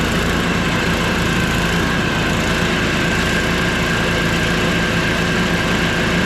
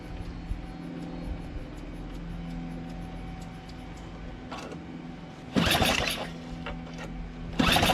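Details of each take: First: Small engine after a conversion, running after priming with fuel shutoff opened: continuous even chug, no misses or knocks; running fine. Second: Small engine converted to a single-shaft engine with reversed pulleys: three hard pull-cord bursts spin it but it never catches, no fuel getting through because the fuel shutoff was closed.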